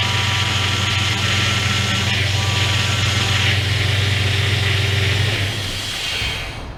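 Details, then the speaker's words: 2001 Dodge Dakota 4x4 4.7L just after power steering pump replacement and refill, not yet bled; a steady high whine rides over the idle right after start-up while fluid is drawn down: pump whine from air in the system. "well they did suck uh quite a bit of fluid down it's still some in there but you heard it whining right away and that's all"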